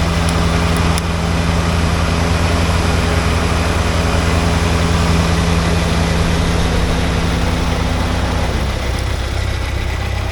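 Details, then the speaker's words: 1979 Porsche 924 idling: steady whirring tone that winds down with the engine; owner believes, though not sure, it is the alternator, which was later replaced. A snap-crackle-pop near the fan also noted. "Anyway, I do believe that that's the alternator making that noise. So I think it's time to order an alternator for it."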